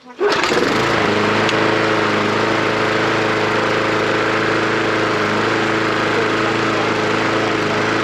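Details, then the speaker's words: Mountfield SP470 lawnmower, cold start after sitting for years with questionable old fuel in the tank: catches and settles into a steady, even, strong drone with no misses or hunting; normal running. "there's no diaphragm nor you know there's no missing the beat draw it's really really strong"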